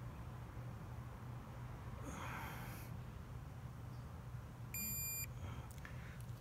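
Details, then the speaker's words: Snap-on digital torque wrench reaching its 45 Nm setting (reading 44.8) while tightening a motorcycle fastener; a short steady high beep of about half a second, with vibration, signals the target torque was reached. "we got up to forty four point eight you guys hear that you want it vibrated and it beeped"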